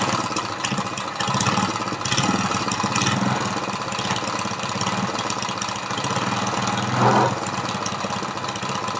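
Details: Briggs & Stratton vertical lawnmower engine converted to horizontal with oil splasher, first run; revived from no compression by lapping and adjusting valves to only 60 PSI. Small single stumbles and surges unevenly, firing irregularly, then steadies a little; rough running from low compression. Carburetor leaks fuel.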